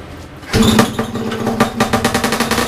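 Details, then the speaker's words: Two-stroke big-bore stroker 277 snowmobile engine in a garage around minus 30 outside, first full-throttle run after fixing the PTO side seal; harsh crackling, popping steady rev, about 8800 RPM, roughly 700 short of this pipe's peak; owner suspects clutch setup needs changing. "I think I need to change the clutch setup a little bit because I don't think it's running at right rpm yet"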